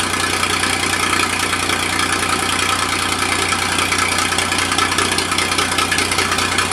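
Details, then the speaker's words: Massey Ferguson 2244 with Perkins 3-cylinder diesel, fresh engine, first start in five years after sitting, still cold; even, steady idle with no knocks or misses. Hydraulic clutches fail to engage. Normal diesel idle. "well the old fella still doesn't sound too awful bad like i said the engine is fresh"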